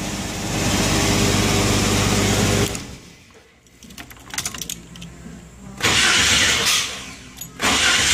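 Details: 1990 Jeep Wrangler 4.2L inline-six automatic, just after replacing a tired, intermittently screeching starter with a remanufactured unit: strong even cranking whir, pause, more cranking, no screech or grind; owner notes it sounds different overall than the old one.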